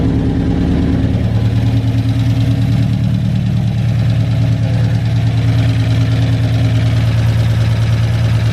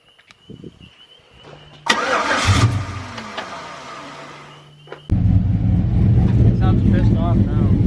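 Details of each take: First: Big-cam GM 5.3 V8 in a truck, first start after swap, warm: lumpy uneven idle with low pulse about three per second, only four cylinders firing because the DOD (cylinder deactivation) valley connector was unplugged; to be plugged back in. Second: Cammed 5.3 V8 truck at first start after the big cam install: cranks briefly, catches, then settles into a loud, deep, choppy lope. It earlier ran on only 4 cylinders, was plugged back in and now fires on all 8, running decently.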